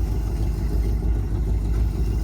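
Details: 1954 Cadillac V8, 12-volt, borrowed battery, fluids unchecked: low, even burble at steady idle with no knocks, ticks or misses; quieter and better than the 1959; runs normally.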